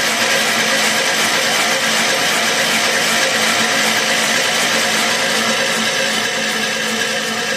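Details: 1981 Allis-Chalmers 912 Hydro tractor, Kohler K301 engine, after new generic carburetor, rebuilt fuel pump and ignition work: steady even starter churn with faint regular compression beat, never fires; cranks but won't start, though fuel reaches the bowl.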